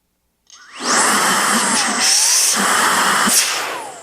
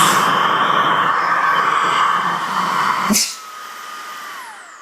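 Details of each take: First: New Milwaukee M18 precision blower, nozzle removed, outlet covered by hand: high whine spins up fast, pitch bends as outlet is blocked, motor runs strong and air pushes the hand off without nozzle leakage. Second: New Milwaukee M18 precision blower at highest speed with outlet covered by hand to mimic a clogged drain: loud steady whine, air hissing past the nozzle, then cut and motor winding down; back pressure lost through nozzle openings.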